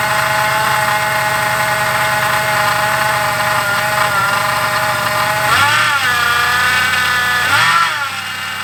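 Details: Crown Victoria / Grand Marquis (2003–2011) at idle before belt tensioner and idler replacement: steady rough metallic whine that dips and recovers with rev changes; worn idler pulley bearing noise in the serpentine belt drive.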